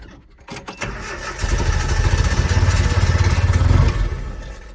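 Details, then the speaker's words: Japanese mini truck after rebuild with new timing chain cover, plug leads moved around on distributor: cranks, catches and settles into loping, uneven idle, shaky pulse about three beats a second; rough running. "Obviously, I knew that wasn't really the best idea, but it shakes. It causes quite a bit of shake, and I feel like we are super advanced in timing."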